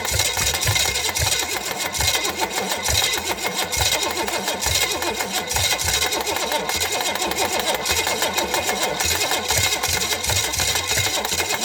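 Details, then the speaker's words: Chevy small-block 305 bought for $50, unknown history, carb fitted, float bowl just filled: steady fast starter whir with even compression pulses that never catch; cranks without firing, distributor later swapped for an ATI unit. "not sounding promising you know that's just the starter making that noise i think okay"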